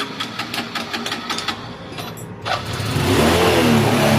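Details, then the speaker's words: Wave CX 110 motorcycle after fitting a new cam chain tensioner; the old one had been installed backwards by the owner, spring ahead of the metal tube, and had rattled. Light clicks, then an even idle; the engine is now quiet. "Tahimik na po yung makina. Kasi po yung kaninang tensioner ay nabaliktad po ang kabit ng may-ari."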